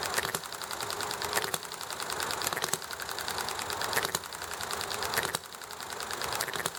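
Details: Enjomor model hit-and-miss engine running nicely: sharp firing pops roughly once a second, then coasting over background clatter, highway traffic and conversation; even hit-and-miss cycle, normal running.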